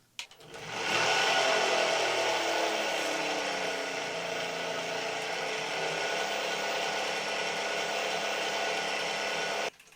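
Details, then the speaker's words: 2018 Puch Dance e-bike, Bafang G32 hub motor (likely G320), bought defective: with the wheel spinning, a loud steady drone with a high whine. It rolls freely forward but is stiff backward, and the owner suspects the stator bearing; nylon planetary gears were later found broken. "ik heb een proefrit gemaakt en ja het lawaai is niet te harden joh er komt zo'n gebrom uit de motor daar moet iets niet goed zijn"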